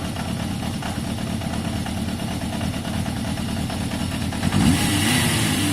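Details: Yamaha XJ550 motorcycle warming up after carb cleaning: steady even low idle beat, revs lifting a little near the end; revving strong, slightly smoky from carb cleaner, idle judged a touch low; normal idle.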